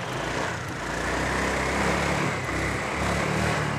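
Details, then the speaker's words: Honda Air Blade FI scooter that was hard to start despite spark, fuel and compression, no error code shown: after repair it runs with a steady even beat, no misfire or stumble; runs sweet. "rất là ngọt và ngon anh em"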